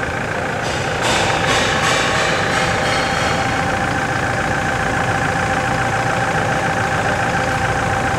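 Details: 2016/17 Toyota Hilux diesel after steering box replacement, fluid change and bleeding, for a prior leak and steering noise: steady idle with even clatter and no steering pump whine; power steering healthy.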